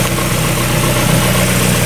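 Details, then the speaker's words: 1994 Mazda Miata started after winter storage: steady, even idle with a smooth low beat and no misses or knocks. It idles fine. "It's running pretty good. Well, let's check that idle. I see it's idling fine."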